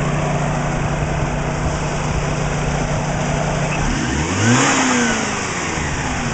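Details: Engine after spark plug, coil pack and timing belt checks, warm after about 10 minutes running, 20 inHg steady vacuum, about 38 psi oil pressure: light valvetrain and injector ticking, then a clean smooth rev with no deep knock; former suspected piston slap gone.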